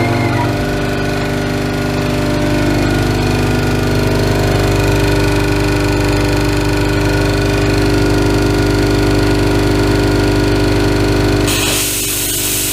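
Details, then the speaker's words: Ingersoll Rand 5 hp single-stage twin-cylinder 60-gal compressor, started with tank at about 50 psi and feeding an air cooler and moisture separator: steady even pumping hum with a low thump about 3.5 per second, no knocks. Normal running. "tank pressure is about 50 psi so we won't be filling the entire tank it's been turned off so we'll go ahead and turn it on"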